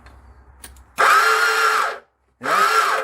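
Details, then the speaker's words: CF Moto Z6 with magneto cover removed, starter just spins: two short bursts of high rising electric whine with no cranking, starter spinning freely without engaging the engine. "and you can hear it's just the starter is just whining so and then and that is moving you can see it"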